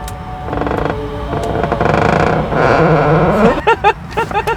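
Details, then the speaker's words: Ford F150 converted business-van interior, rear door opening: drawn-out, rising, eerie creak then a few short squeaks, a dry, poorly fitted door hinge; factory vehicle with many rattles. "这车开门还自带进鬼屋的音效，你们听。"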